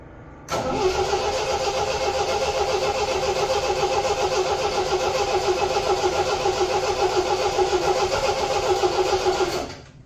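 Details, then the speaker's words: 1975 MGB four-cylinder: catches at once and holds steady, even run with no misses; runs much better firing on all four cylinders; normal running. "so it runs a lot better when it's firing on all four cylinders"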